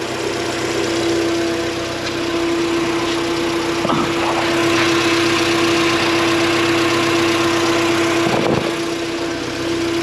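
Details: Honda Civic EK with B-series swap, new Carrot Top Tuning sub harness and upgraded ATI damper, after starter solenoid cable fix: steady, even idle with constant hum, no knocks or misses; running healthy.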